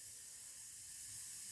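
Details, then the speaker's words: Chevy Equinox with misfire, leak-down test at 80% leakage: faint steady hiss at the oil filler shows only slight blow-by, loud at intake plenum, none at exhaust, pointing to likely bent intake valves. "I hear a little bit but not much if I put it on the back on the exhaust I don't hear anything so this tells me the intake valves are likely bent"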